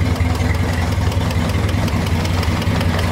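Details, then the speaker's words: 1960 Mercedes-Benz 190B four-cylinder, parked since 1972, running unchoked before its first drive: a steady, even low rumble at idle with no knocks or misses; healthy. "sounds good down there what wow who'd ever thought"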